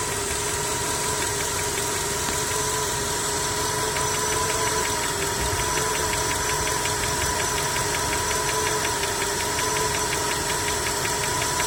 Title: Стук в двигателе, Skoda 1,6 BSF